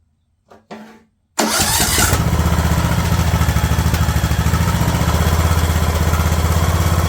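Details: Craftsman LT2000 riding mower engine, idle adjusted after straightening the throttle linkage: a couple of clicks, then it catches and settles into an even chugging idle around three pulses a second with no stumble; normal steady idle.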